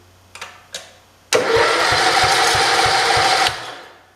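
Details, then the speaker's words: 1968 John Deere 110 garden tractor after an engine install: faint clicks, then the starter spins the engine evenly for two seconds when the solenoid is jumped from the battery positive lead; the solenoid is good, and the owner suspects the key switch or miswiring. "and it's doing the thing so the problems up here the solenoid is good at least i'm pretty sure so top end failure"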